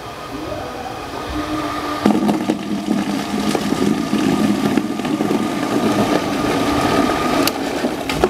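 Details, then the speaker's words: Shimizu water pump restarted after running dry, suction pipes emptied, without manual priming: motor spins to steady hum, then gurgles and clicks as water is drawn in; self-primes and delivers normally. "Rupanya masih bisa ya kawan-kawan jadi saya cukup terkesan ya Sehingga pompa ini memang enggak merepotkan kita meskipun Tadi sempet kehabisan air"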